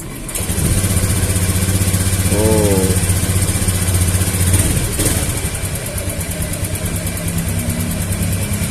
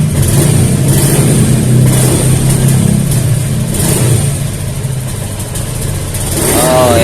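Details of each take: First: Honda Beat FI scooter with new injector, fuel pump pressure regulator checked; catches straight away, even steady idle with no stumbling; clean healthy idle. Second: Honda Beat FI scooter with a new fuel pump rotak: steady normal idle, but a sudden throttle blip makes it sag and stumble before picking up, from weak fuel pressure starving the injector.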